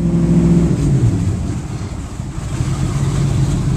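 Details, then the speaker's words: Inboard boat engines at idle after a rev, engine compartment closed, heard from the captain's chair: low throaty steady burble with even pulses and no knocks or misses; clean healthy idle. "but that a good indication of the idle noise you're going to hear from the captain's chair"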